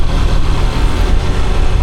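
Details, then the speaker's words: Honda XR150 single-cylinder after top overhaul with higher-compression piston and tweaked carburetor: low even idle thump, steady, no misses or tapping; sounds like new, normal idle. "Now the engine sounds like new. It should have as much power as new, right?"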